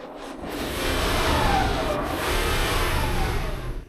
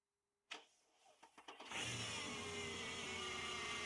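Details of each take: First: Mercedes E500 V8 with 250,000 miles, revved after the drive belt was refitted: revs rise and settle smoothly with no squeal or chirp. The earlier belt noise is gone, and the belt drive is normal. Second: Mercedes E500 V8 with 250,000 miles, started after a battery change: short crank, then an even idle with a steady high squeal-like whine from the idler pulley, which has not been replaced yet. Check engine light remains on.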